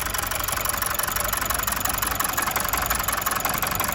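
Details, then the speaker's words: Mazda 6 2.2 Skyactiv diesel with no fault codes, idling roughly on about three cylinders with an uneven, stumbling beat and the exhaust shuddering; engine misfire at idle. "You can see on the exhaust there the engine is shuddering and jumping a lot. So hopefully you can hear that it's actually misfiring."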